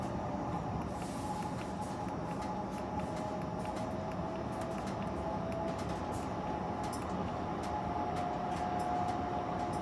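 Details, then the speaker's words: Rika pellet stove convection fan pushed above factory setting via motherboard programming, raised from 100 toward 150: steady even air rush with faint tone, no rattles or scraping; fan running clean at higher speed. "Hear all that extra power?"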